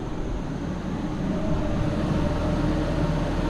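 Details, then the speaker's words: Nissan Xterra at idle after replacing broken muffler pipes with Walker Quiet-Flow mufflers and a new pipe to both catalytic converters: steady, even low rumble with no rasp, blowing or rattle; exhaust sealed and engine idling cleanly. "And it sounds pretty good. I like that sound. Nice and quiet."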